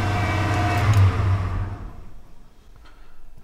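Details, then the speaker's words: 1991 Ford F-250 5.8L 4x4 just started after sitting about two years: fast steady drone stuck at 2000 rpm, won't kick down to idle; cause found as faulty throttle position sensor. "nothing wrong with this girl she's stuck at 2 000 rpm she does not want to kick down"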